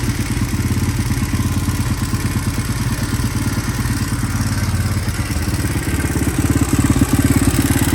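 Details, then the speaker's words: 1983 Honda XR200R single-cylinder dirt bike, first outdoor run after sitting for years, idle turned up slightly: even thump at steady idle, no smoke, light valve chatter the owner considers normal; healthy idle. "Had to turn that idle up a little bit there. No smoke. A little bit of a chatter, but that's I think just the valve."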